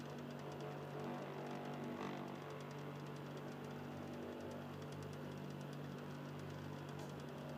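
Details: Xbox 360 Slim with Philips light-on DVD drive in standby: quiet low hum with faint soft grinding from the drive motor, lower tone than before; cause not identified.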